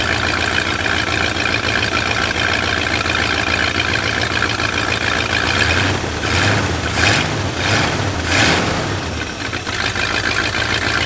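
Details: Lifted bullnose Ford carbureted V8 truck running after sitting almost 4 years, carburetor just cleaned and rebuilt, idle mixture being adjusted: steady idle with speed swelling and settling a few times around eight seconds; normal idle.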